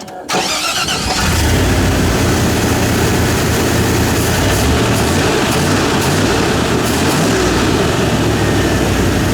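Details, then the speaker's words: V8 with new carburetor; catches and settles into a fast, steady idle around 1200 rpm, too high because the carburetor T-slots are opened up for a big motor; closing them would drop idle to about 800–900. "I can't get the idle down in the lower because I got the T slots open up for a big motor"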